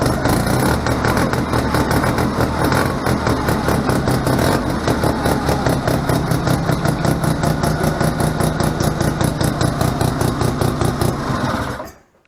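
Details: A 1971 Arctic Cat Panther 303 Wankel rotary snowmobile with a Spirit recoil conversion, running; a fast, buzzy firing beat holds steady at idle, then cuts off sharply. Normal rotary running sound.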